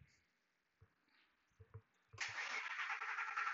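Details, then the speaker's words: 2003 Ford F150 Harley-Davidson 5.4L supercharged, PCM heat-tested at about 110 degrees: faint clunks, then a long steady crank that never catches; long crank no-start, tech pretty sure the engine computer is failing. "now we got a long cracking okay that's it all right guys I think I I am pretty sure now the computer is Asia"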